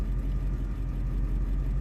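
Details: Ford 7.3 Powerstroke diesel truck with number 8 injector left unplugged under passenger valve cover; deep lumpy uneven rumble with dips, one cylinder dead, shaking, check engine light, hard to start; plugging it back in smoothed it out.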